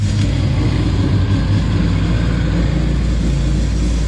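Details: Honda Civic, rebuilt engine, running after everything was connected to fix exhaust rattle and leak: deep, steady rumble with an even beat, no puffing or ticking; exhaust sealed, normal idle.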